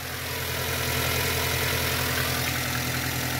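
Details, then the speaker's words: Mini with an intermittent hard cold start, just restarted after a fuel-pressure test reading 50 PSI: steady, even idle with a smooth low hum; briefly blipped, sounds stable. "mets un petit coup d'accélérateur pas plus pas plus ouais ça a l'air stable"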